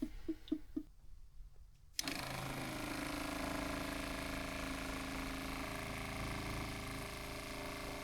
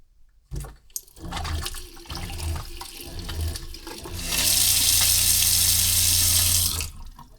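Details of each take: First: Newly fitted quieter replacement water pump in a Crusader caravan, after a priming problem fixed by refitting a fitting that drew air: a few taps, then a steady low hum with no rattle or surging. Pressure better than the old factory pump. Healthy pump. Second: Caravan (Crusader) factory water pump switched on from the control panel, with the tap running: a steady low drone under the water rush, loud enough to carry into the van; noisy pump awaiting replacement with a quieter unit.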